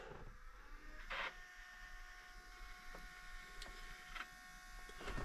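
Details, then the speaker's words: Case 305 after an oil and filter change, key turned on before starting: a faint steady hum with a few clicks from the fuel pump down below; normal fuel pump priming hum. "I hear the fuel pump down there humming so let's see what happens here"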